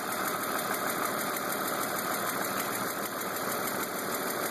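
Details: BMW E36 328i M52 at 175,000 km with M50 intake and M3 headers and exhaust, at idle: a fine, rapid, even tick over a smooth idle. It persists after new oil, sensors, injectors, lifters, tensioners, upper chain and VANOS seals, with oil and fuel pressure and lifter clearance checked.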